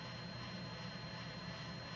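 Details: JVC GR-SXM330 Super VHS-C camcorder after transport rebuild (fix for clicking/E03 error): rewind of a test tape gives a soft steady whir with faint high whine, no clicking; normal tape rewind.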